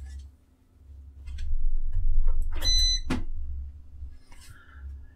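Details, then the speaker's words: UPS beeping after mains power is cut to test NUT shutdown with a TrueNAS server: a single high beep over low room hum as it switches to battery, client servers should soon shut down. "jak słyszycie UPS zaczyna hałasować za chwileczkę powinno się zaczą klienckie już wyłączać"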